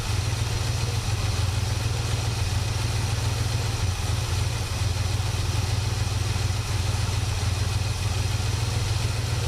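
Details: 1967 Buick GS340 at cold start: a low, uneven, loping idle that never settles. The owner blames the ignition system, and faulty points were later found and replaced. The remanufactured carburetor's idle circuit was also flowing poorly.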